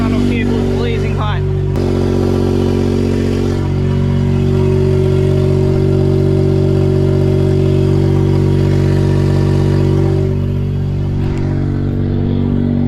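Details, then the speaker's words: Autozam AZ-1 (Suzuki Cara) turbo on a Monstersport N1 ECU at 1.1 bar boost, under throttle. Loud, raspy, puffing note; most downpipe bolts had backed out, one holding, gasket hanging, bad smell: exhaust leak at the downpipe. "all right i think it's my exhaust manifold it smells terrible it sounds kind of cool i guess but this is pretty eventful i got home now i'm taking a look at this looks like all the bolts fell out of my downpipe"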